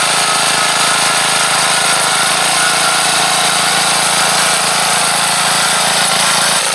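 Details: Troy-Bilt Bronco tiller small engine converted to propane, no gasoline in the carburetor, propane needle valve set for running speed: loud, steady buzz at an even speed without surging or misses; normal running on propane.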